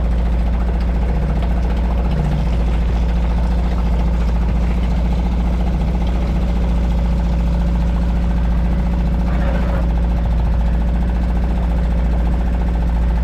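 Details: Suzuki 2.5 HP DF four-stroke outboard in a water bucket, oil hovering at lower sight-glass mark after a low-oil-sensor no-start: steady, even low putter with no misses or knocks; idles cleanly and sounds healthy.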